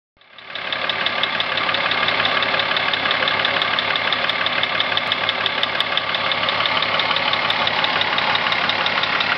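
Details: VW Corrado VR6: engine starts and settles to idle with steady metallic knock about three times a second, constant throughout; cause not stated.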